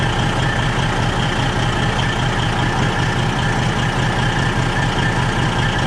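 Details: Freightliner diesel truck idling, with exhaust smell in the cab: deep, even idle with a steady puffing pulse two or three times a second, during a soapy-water check. Exhaust leak, most likely at the front flex pipe.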